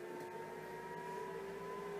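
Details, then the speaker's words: Newly installed 2.5 kW VVKB parking heater in a caravan, on button held 3 seconds, ambient 14.8; steady even hum with clean mid tone, no rattle or scrape as the fan motor spins up; normal fan startup. "We'll press the on button for 3 seconds. The fan motor starts."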